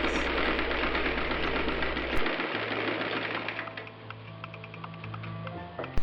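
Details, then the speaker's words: Singer 319W electric sewing machine converted to treadle with a quieted steel coil spring belt, sewing a quilted placemat: quick even needle clatter with soft low hum, no belt noise; normal running. "And uh you can hear that it's really just normal machine sounds and and the screen doesn't add a lot of noise to"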